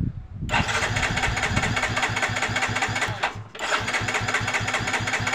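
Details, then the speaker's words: Yamaha Mio J fuel-injected scooter that died suddenly: fast even starter chugging, two or three beats a second, twice, never catches; cranking no-start. "tidak mau hidup ya"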